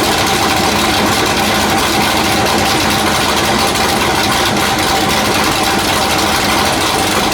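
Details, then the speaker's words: Factory Five Mark 4 Roadster build engine on the run stand, last firing before removal and install into the chassis: loud raspy even exhaust held steady, no ticks, knocks or stumbles; runs great; normal idle. "So I wanted to hear it. Everything still runs great. Sounds really nasty."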